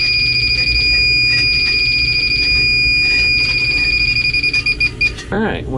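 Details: Warm Beverage-Air beer chest cooler, condenser not warm, likely low on refrigerant and previously tapped: shrill steady electronic tone breaking into fast pulsing beeps as the refrigerant leak detector alarms right at the leak.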